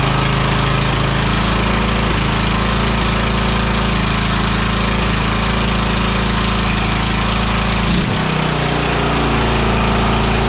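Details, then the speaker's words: Murray 42-inch riding mower, 18.5 hp Briggs & Stratton PowerBuilt OHV with straight-pipe exhaust, brought in for running rough: loud, raspy, steady bark at even speed with no stumbling or misses; running normally. "That's a loud little lawn mower, isn't it? It's got that straight pipe over there."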